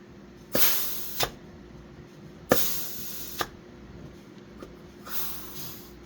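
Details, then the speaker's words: 4L60E transmission clutch air test on shop air (1950 Chevy pickup LS swap build): short bursts of compressed-air hiss cutting off cleanly, no clunks; slight leakage on the 3/4 clutch and around the blowgun is normal. "That leakage you're hearing is coming around my blowgun here. In a 3/4, you usually see a little bit of air leakage there. That's perfectly normal."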